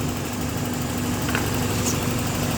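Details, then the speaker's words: Toyota gasoline engine with an intermittent hard-start complaint traced to the starter motor and main cable washers/battery lug, alternator charging 13.8 V. Once running, steady, even idle with a smooth low hum, no stumbles or misfire. "So wala nam problema kapag umandar. Hindi po palyado."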